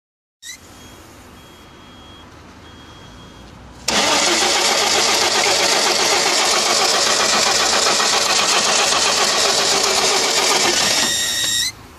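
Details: 1992 Audi 100 2.3E with the 5-cylinder 2.3L AAR engine and K-Jetronic, fuel distributor flap at WOT, after a new fuel pump, plugs and filter: cranks, catches with a loud slightly uneven run, then cuts off; injectors 1 and 2 spray less than 3–5.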